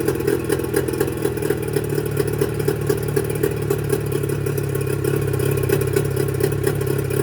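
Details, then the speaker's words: Mercury 25 HP two-stroke outboard before Boyesen power reed install: uneven, lumpy putter with irregular pulses and wandering revs, won't hold steady idle; reed valves blamed for the rough running. "you'd be amazed that you wouldn't think that these two little pieces of metal is what makes the motor run so rough"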